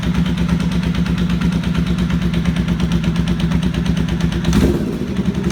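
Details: 1992 Honda VFR750 streetfighter build: loud rhythmic ticking knock at idle that quickens with revs, caused by two missing header bolts on the front cylinder head with pieces of the casing sheared away; exhaust header leak.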